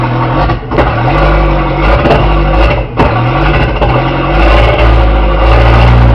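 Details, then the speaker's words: 1981 Porsche 931 turbo, running after the distributor and rotor timing was set: loud, raspy low rumble that swells with each throttle blip, with turbo audible; exhaust leak from a holed exhaust. "It's really loud because it's got a Holy exhaust. I can hear the turbo, which is really cool."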